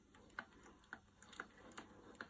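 Light, even clicks about twice a second as the crank turns, nothing dragging or forcing; the mill is running freely.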